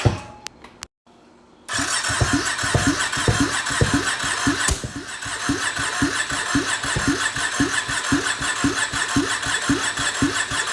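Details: 2020 Can-Am Outlander 570 crank-no-start, after new piston rings and gaskets; ignition wires swapped as it sparked at wrong time; starter whirs, catches within a second and settles into steady, even thumping idle: normal start and idle.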